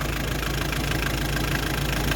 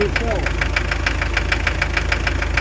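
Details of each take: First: Hyundai Terracan 2.5 diesel D4BH after fixing an engine knock caused by an assembly mistake: even, steady idle with smooth low rumble and no knock; knock gone, runs as before. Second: Hyundai Terracan 2.5 diesel (D4BH) at idle: sharp, very regular knock about three a second, appearing after the head was removed and refitted with timing set to marks and valves adjusted.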